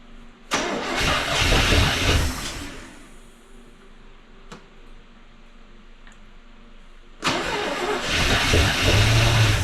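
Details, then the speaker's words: 1974 International pickup that sat for years, with points just cleaned: two bursts of fast cranking, about four turns a second, engine fires once but won't run as spark is lost again; owner suspects distributor and points. "we lost our spark again but it did fire so that's a good sign she might run"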